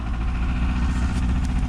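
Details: 1987 Chrysler LeBaron Town & Country Turbo, first run in several years after oil change: steady, even low thrum with a smooth regular beat and no knocks or ticks; normal idle.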